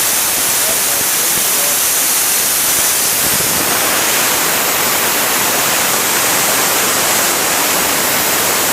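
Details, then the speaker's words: Old painting air compressor after cut-off near 90 psi, motor stopped: steady, unbroken hiss of tank air escaping from under the pressure switch instead of one short puff. The cause is a leaking one-way check valve in the tank, not the switch. "it's it's just staying continuously on um after it's supposed to trigger off and there's loads of air coming out of it"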